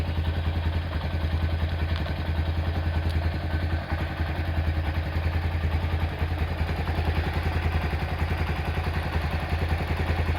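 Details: Honda Tiger Revo engine, hot (quiet when cold): fast light ticking from the cylinder head over the engine beat; oil seepage is also present.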